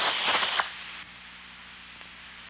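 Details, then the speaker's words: Vacuum leak heard through Ultraprobe 2000 ultrasonic detector: loud rushing hiss then quieter steady hiss, subtly different from a pressure leak, like inhaling versus exhaling. "difference is like the subtle difference between the sound of inhaling and exhaling once you can recognize the sound quality of leaks in your environment you can learn to locate a leak"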